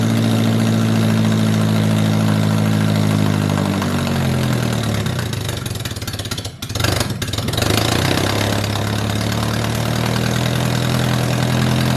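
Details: 1978 MG with 1.6L Miata engine in a cold garage, after idle air control valve delete to fix a vacuum leak. Steady, smooth low hum with one brief dip and recovery; fast cold idle, running clean.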